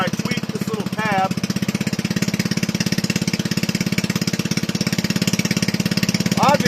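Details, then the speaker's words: Toro 18005 mower, governor not hooked up, only a spring pulling throttle shut: small single-cylinder putters at a steady even rate, no misses or knocks; runs smooth, not smoking. "I already have it. It runs. There's no governor hooked up. It's just a spring on the throttle pulling it shut."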